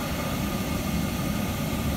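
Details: Worcester Heatslave 20/25 oil boiler after bleeding air from the pump: steady low roar with an even fan hum and no surging, popping or cutting out. Burner firing properly.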